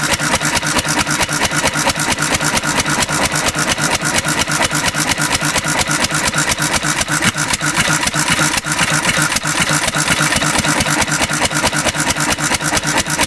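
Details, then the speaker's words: 1950s Cushman Cub single-cylinder four-stroke throttle-governed stationary engine on almost pure 91% rubbing alcohol, running richer than on gas: fast, uneven thumping, firing unsteadily and struggling. Rough running on alcohol fuel. "not happy with this decision Mo your it's almost pure rubbing alcohol you see the yellow's almost all gone that's an interesting sound the it's running a little bit richer than gas ever so"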